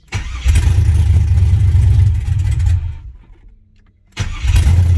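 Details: 6.0 LS swapped Firebird first start after priming the empty fuel system: V8 catches with deep rumble, sags and cuts out a second, refires and settles into lumpy idle; normal first start.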